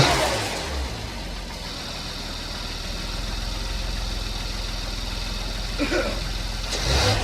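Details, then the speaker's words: 2015 Porsche Macan just after timing chain replacement, BCM programmed with two new keys: smooth even idle with short throttle blips, revs rise and fall cleanly with no tapping or rattle; no check engine light, small coolant leak noted. "Alright, so we're going to look into the coolant leak, but the engine runs."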